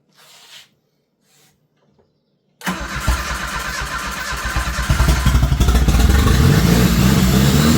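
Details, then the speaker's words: Turbo Dodge Daytona engine fired up: it cranks and catches at once, settles into an even beat and revs with a faint rising turbo whistle. It runs really well and is judged a good engine. "So, as you can tell, that actually runs really good. You can actually hear the turbo whistling. So, this is a good engine, I think."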